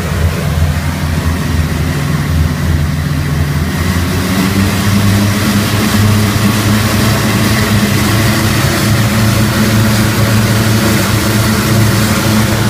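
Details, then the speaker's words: Rotec R3600 radial engine on test-stand dyno, idling on the idle jet so leaning mixture makes no difference, after magneto checks; deep steady drone with even beat, no misses or knocks. "see leing the tbii makes no difference because it's not on the spray bar it's idling off the idle Jet so leaning shouldn't make any difference"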